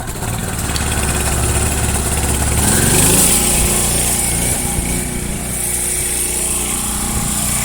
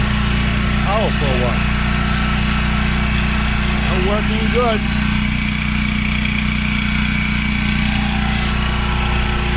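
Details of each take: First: Washer making a grinding noise, tested on agitate: the motor hums and winds up with a rattly chatter, but the drum never moves. The motor coupling is broken and needs replacing; the transmission looks good with no oil leaks. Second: Washing machine after a part replacement: steady low motor hum, even drum run, no grinding or scraping; normal running.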